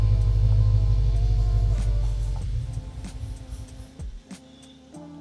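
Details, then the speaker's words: BMW 550i (N63TU) with fuel pump fuses pulled for flex fuel kit install: engine starts, rumbles evenly about two seconds, then sags and stalls as fuel lines empty; fuel starvation stall. "Now that we have those unplugged, when we start the car, the car will run for a few seconds and then slowly stall as if it's running out of gas, which it basically is."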